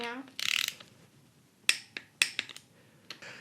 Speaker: listen listen when you get to the right torque it clicks you hear that